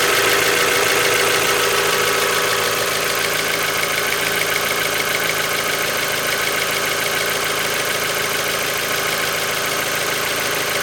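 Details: Mazda Miata with 76,000 miles and Mobil 1 5W-30 under 2k miles old, oil near full, more noticeable after a valve cover gasket change: fast, even light ticking of three to four per second at idle; owner suspects lifter tick.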